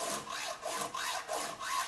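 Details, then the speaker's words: Poulan 3816 chainsaw during tune-up: even rasping file strokes about every half second on the chain cutter, sound changing from gritty resistance to a clean smooth scrape as the cutter is trued at a constant angle. "keeping it nice and true and at the same angle. And you can just hear it change from sort of gritty, rough resistance to it gets quite smooth."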